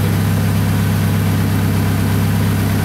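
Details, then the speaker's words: Toyota Camry idling in the shop after timing belt replacement, smoking after a start believed to have flooded it: loud, deep idle with a rough puffing pulse on the exhaust note, from an exhaust leak. "I don't want to leave it running in the shop with my foot is smoking like this because of that exhaust leak"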